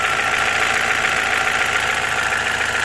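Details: BMW E46 N42 petrol engine idling: light, fairly regular tapping about three or four a second, intermittent, over a hissy hum; owner unsure of cause, possibly Valvetronic.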